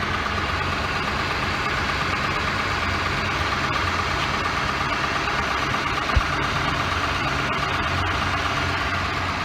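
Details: 2006 Ford Explorer Eddie Bauer V8, idling after a home repair for a bad pulley squeak. Steady, even idle with no squeak or chirp over the engine hum; the belt drive sounds quiet and healthy.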